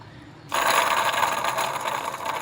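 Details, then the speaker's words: 2005 Ford Explorer 4.6L V8, sat over a year, timing-chain rattle complaint: with the engine off and the belt removed, the idler pulley is spun by hand, giving a harsh dry grinding rasp with a metallic ring; the idler bearing is totally shot. "bad in this one see that the bearings totally shot in there"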